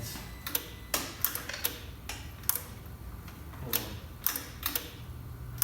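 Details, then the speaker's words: Salvaged car rebuilt as a custom kit car, in neutral with clutch in on first start attempt: sharp irregular clicks about twice a second from the fuse box, no cranking; relay chatters, owner suspects grounds or brake pedal needed. "I hear clicking. Clicking in the fuse box there. Maybe I gotta put my foot on the brake. Still nothing."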